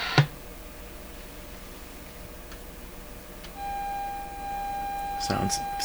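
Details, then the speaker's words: Sony TR712 transistor radio, signal injection into the base of the transistor before the one that was replaced: a steady mid-pitched test tone comes out buzzy and distorted; the cause of the distortion is still being hunted. "buzzy distorted to me"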